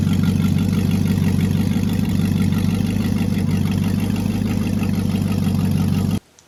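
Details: Engine with a Turbo 350 transmission, just reassembled after a dipstick tube leak repair with ignition timing reset: steady, even low idle with a regular beat for six seconds before shutting off; sounds healthy.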